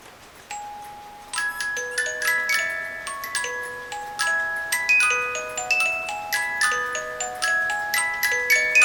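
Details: 8-day Black Forest cuckoo clock with auto night shutoff, after cleaning and oiling: clear plucked tune at an even tempo with the bell, notes ringing cleanly with no drag or skips. Music box and bell operating normally.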